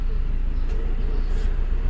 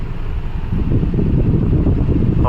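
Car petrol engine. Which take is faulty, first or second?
second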